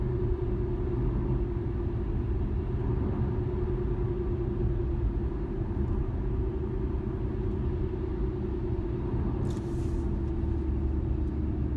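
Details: 2013 Infiniti G37S coupe driving straight: steady droning hum over road rumble, starting around 30 mph and worse at 50–55 mph; dealer blamed the tires, owner doubts it.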